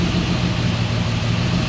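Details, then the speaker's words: 1969 Mercedes-Benz 280SE (W108) during restoration, warming up: steady, even low idle, no knocks or misses, now much slower than at first start; oil pressure about 30, temperature climbing a little, radiator thought somewhat deficient. "But, it's idling way way way better and not as fast as it was right off the top."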